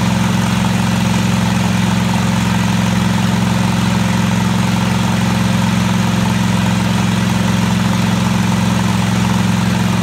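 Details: Craftsman DGT 6000 twin-cylinder engine after reassembly (new fuel line, fuel pump mounted), first run: steady, even low thrum with regular firing beat, no knocks or misses — smooth normal idle.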